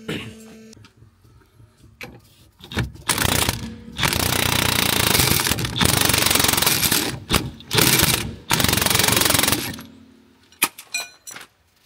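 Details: Fiat Doblo 1.3 on lift, rear end: bursts of harsh creaking and clunking each time the raised body is rocked; broken leaf in the rear spring, noise reported on rough roads.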